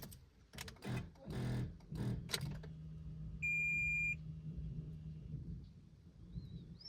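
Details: 2018 Fiat Argo that won't crank or start: with the key turned, handling noise, then one high warning beep as a temperature-related warning appears. The battery is suspected, after heavy radio use the day before.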